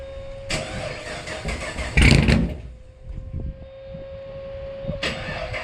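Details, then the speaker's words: Blower engine starting after a new TSP blower cam swap on a brand-new tune: starter cranks, then it settles into a lumpy idle with steady blower whine. It runs fine and the owner hears more tone than the old cam. "Oh, man. Yeah, that sounded freaking crazy. I ain't gonna lie, I did not expect it to be like that. Some of you might say it sounds the same, but I can definitely tell a difference."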